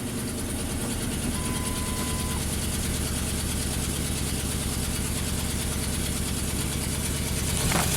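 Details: 2008 Ford F-250 5.4L V8, 219,000 miles, swapped engine, just started at idle. A fast, uneven ticking of about three per second over the rumble; exhaust manifold leak suspected, not confirmed.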